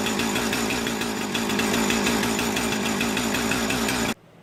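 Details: Husqvarna 455 Rancher chainsaw test-run after sharpening, cleaning and repair, checking oiler; loud, steady high-revving buzz for four seconds then clean cut-off, oiler working, saw runs strong and healthy.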